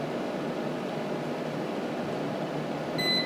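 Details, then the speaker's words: Fellowes AeraMax DX95 air purifier after repair by replacing a bad capacitor: isopropyl alcohol triggers its sensor and the fan switches to high, a steady, even rush of air with one short button beep; it is working normally. "so a bit of isopropyl alcohol there you get straight to right and as you can probably hear the fan speed has come on too high"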